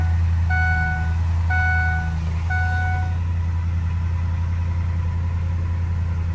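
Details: Ford Econoline after crank-no-start fixed by replacing the body-to-frame ground strap: three chime beeps, then steady even low idle rumble, no misses or knocks; runs smoothly.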